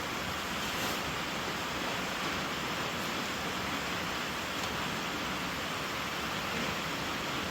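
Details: 1995 Volvo 940 B230FT leak-down test at about 70 psi, engine off: steady even hiss of air heard via the crankcase hose; air suspected to be blowing past worn piston rings.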